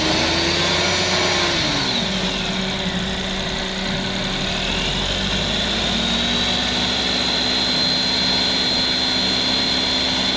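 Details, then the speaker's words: Suzuki Alto after fixing rattle at idle growing louder with rpm, traced to alternator area and damaged bolt, replaced and refitted: petrol engine idles, revs and settles smoothly with no rattle; noise gone. "and as you could hear in that clip the noise was now gone and this vehicle could be given back to the customer"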